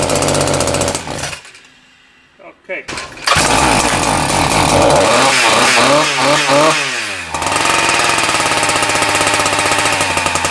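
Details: Husqvarna K970 concrete saw two-stroke after engine rebuild for no compression, first start after priming: catches, then revs surge and sag with sweeping pitch instead of holding steady; uneven running before carburettor adjustment.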